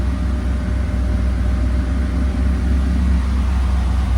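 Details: Nearly finished off-road buggy idling with radiator fans, trans fan, air compressor, front locker and lights all on: steady, deep idle with a fast even pulse and fans humming; engine holds its speed under full accessory load.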